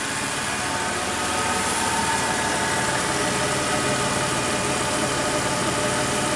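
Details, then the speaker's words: 2004 Toyota Tacoma V6, 5-speed 4WD, 260k miles, likely original timing belt, throttle control system reconnected before throttle body cleaning: fully warm, steady even hum at about 730 rpm idle, throttle position 14%, no misses or knocks; normal idle. "all right so let's run the truck make sure it's fully warmed up smooth smooth Toyota I think it's still running in the original timing belt believe it or not"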